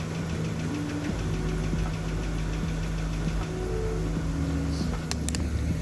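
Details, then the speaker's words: Engine ticking on cold start: light, quick, even valvetrain-type tick over a steady idle that then goes away. Owner suspects the oil pump may not be working right; not confirmed. "So you can hear there's a ticking sound. That could be two things. One is maybe my oil pump is not working right, but now it's gone."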